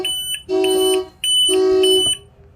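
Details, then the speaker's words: House-battery low-voltage alarm on a boat: loud, clean two-tone horn blasts, about two pulses in under three seconds, sounding because the batteries are dead, just after plugging into shore power to charge them. "the horn just went off because the battery is dead and that doesn't self-test when it does that"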